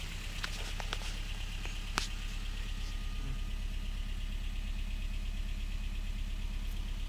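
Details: 2013 Honda Fit idling with no power on acceleration and a blinking check engine light, code P0302 cylinder 2 misfire: uneven stumbling pulse about three times a second over the engine note, a dead cylinder.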